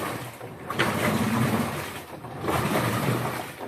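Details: LG Turbo Drum washing machine after rat damage repair, once the water-level vacuum switch was adjusted counterclockwise until the machine ran and the setting was glued. Water sloshes in alternating surges as the pulsator reverses, with no grinding or knocking; normal wash.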